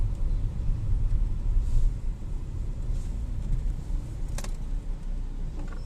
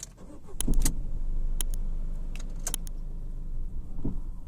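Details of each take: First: Ford EcoSport after repair of engine-bay vibration noise, heard at start/stop and when pulling away despite new A, B and C mounts; loose intercooler secured, duplicate lower bush swapped for genuine: quiet steady idle, only light clicks, no rattle. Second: Ford EcoSport at start-up and idle: key clatter, a couple of sharp knocks as it fires, then low droning rumble with some rattle from the engine bay; vibration noise also when moving, cause unknown.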